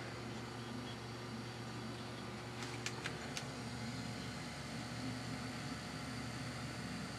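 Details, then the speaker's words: Newly installed Taco boiler circulator for the basement zone, replacing a leaking mid-1970s GE motor-driven pump. Thermostats are up; relays click, then only a faint, steady low hum sits barely above room noise: quiet, normal operation. "it makes almost more no more noise than just ambient noise of anything else"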